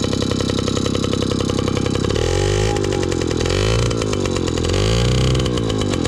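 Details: 1983 Honda QR50, unrestored 49cc oil-injected single-cylinder two-stroke, just started from dead cold: buzzy rattle rising and falling with throttle blips, keeps running on its own; normal running.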